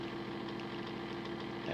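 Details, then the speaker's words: Small motor in homemade decoder tester raised to 50% throttle, a little over an amp: steady mid hum with scratchy crackle; sounds terrible, arcing inside, owner guesses motor is cooked and frying decoders. "50 oh jeez it dropped man that motor sounds terrible oh she's arcing inside so i'm guessing that the motor's cooked"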